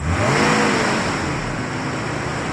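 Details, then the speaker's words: 1996 Nissan Skyline R33 after clearing diesel mistakenly put in the petrol tank and cleaning the fuel system and sparks: smooth, even running with light rev rise and fall, brief smoke from the bad fuel clearing; normal running. "we go like a dream super smooth a little bit of smoke from the nasty fuel at the back and now it's nice and clean it's fine"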